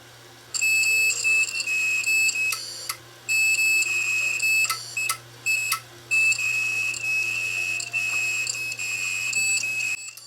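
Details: Failed 1TB Toshiba hard drive from a DVR that failed due to bad HDD, powered up before teardown: irregular bursts of high-pitched beeping over a faint hum, not spinning up properly; failed drive.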